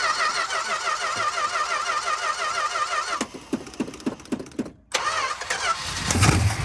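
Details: 1962 Dodge Custom 880 V8, said to have a cracked block, started with a primed carburetor: starter whirs, a few uneven chuffs and a pause, then it fires into a loud, settling run.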